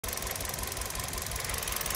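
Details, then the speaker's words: Kia Rio engine idling: uneven, stumbling pulse with regular dropped beats; scan shows misfires on cylinders two and four, with cylinder four unresponsive when its connector is removed. "so there is a misfiring on Uh cylinder number two and number four"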